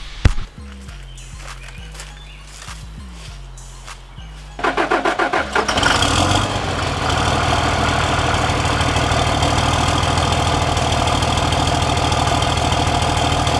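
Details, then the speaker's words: 2006 Ram 3500 5.9 Cummins diesel cold start: starter cranks briefly, engine catches and settles into a loud, steady, even idle clatter; healthy normal cold start and idle. "as you guys can see she sounds absolutely Rowdy I I freaking love this truck"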